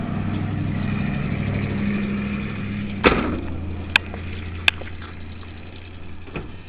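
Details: 1978 Chrysler Cordoba with the choke held open by hand: the starter grinds the engine over steadily for a few seconds, then stops with a clunk and never catches; cranks but won't start, cause unclear, possibly flooded.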